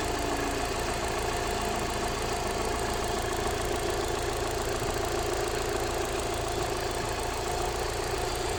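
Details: Alfa Romeo 156 1.6 TS at idle with a fast, light ticking, roughly two per second, from the upper engine bay; source not pinned down.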